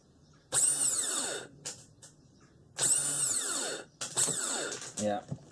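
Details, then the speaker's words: Honda TRX500FA starter motor after brush holder replacement, bench-tested off the quad via crocodile clips to a battery: two short bursts of high whirring winding down smoothly; starter spins freely and healthy. "Right, I've got it hooked onto a battery with a couple of crocodile clips. Just flash it across the terminals."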